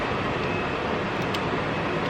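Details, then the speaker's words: Steady, even rush of air with no whine, rattle or ticking: blower and vent functions working again on a Germany-imported BMW E34 525 being restored after a blower motor fire. "Now let's really get to the moment of truth here. Do we have working climate controls? You guys hear that? Do we have working vent functions? Oh yeah."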